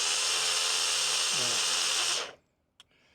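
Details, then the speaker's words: Reico Titan truck camper electric jack: harsh, rough high-pitched motor drone for about two seconds, much noisier than the other jacks; motor sounds worn and going, and a spare motor runs much quieter. "it does I think the motor's starting to go all right it sound like the motor's going so I think I've got a spare motor I'm going to try that"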